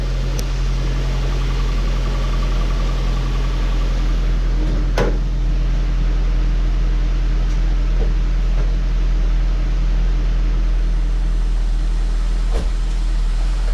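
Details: 2003 Saab 9-5 Aero that sat two years, first start after oil pan redone and refilled with oil: steady even low idle hum, no knocks or ticks, odd faint click; sounds really good, expected to smoke.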